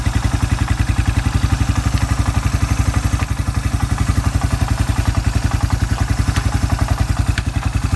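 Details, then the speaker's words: Suzuki Quad Runner 250 after restoration, with the exhaust refitted and running in high range: even single-cylinder thump with a strong low exhaust note and no misses or knocks, back to spec. Normal running. "Transmissions running through all its cogs properly exhaust I think it sounds all right well it sounds like it's gonna sound because it's back to spec"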